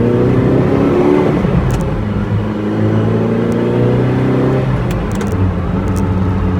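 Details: Ferrari 308 engine after an overhaul: a smooth, even note that climbs cleanly on each rev and settles back without knocks or rattles; a healthy engine.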